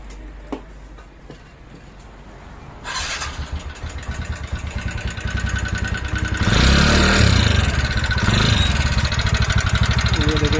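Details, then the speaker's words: 2019 TVS Ntorq scooter that burns oil quickly and smokes, idling then revved after starting: loud rapid clatter about three beats a second, growing with revs; worn piston and timing chain noise. "देखिए इसमें ये एक साउंड की प्रॉब्लम आ रही है, ये साउंड आवाज़ आ रही है इसकी। और ये ऑयल भी बहुत जल्दी ख़त्म कर देती है।"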